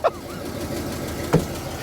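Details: 1988 Ford F350 dually, 351W V8 with Edelbrock carb and Holley fuel pump, broken down because it was out of fuel: the V8 fires and settles into a steady, low burble. Normal start.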